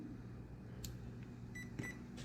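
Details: HobbyWing 1060 ESC over a year old, after on/off switch replaced and soldered, battery, receiver and motor connected: quiet, then two short high beeps at switch-on; ESC powered up and armed normally.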